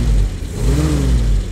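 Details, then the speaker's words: Willys Jeep, carburettor rebuilt from original parts, not yet warm, slightly rich needing a touch of choke, throttle pushed fully: revs up cleanly and drops back without stumble, strong pickup; normal throttle response. "let's push in the throttle all the way then what a beast what a carb so it's not yeah it's not warm yet still jeez"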